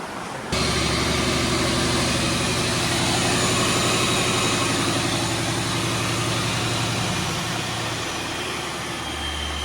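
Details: Supercharged V8 Mustang race car after engine blew, with new Fast Forward Race Engines built motor and built transmission, first run in months before dyno: loud even idle with strong blower whirr, steady, no misses, sounds good.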